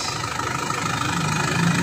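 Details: 2011 Isuzu Panther LM diesel idling after DIY purging of injectors and injection pump: steady, even idle with smooth low rumble, no misses or knocks, running cleanly with reduced exhaust smoke.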